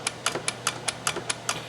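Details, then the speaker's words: Quantum 4Front power chair drive motor: sharp metallic clicks about five per second, suspected play in the brake-to-output-shaft coupling (keyed shaft with nut and circlip, the type known to rattle); cause suspected, not confirmed. "the way the brakes attach to the output shaft of the motor left quite a bit to be desired and you can kind of hear that noise here that metal clicking"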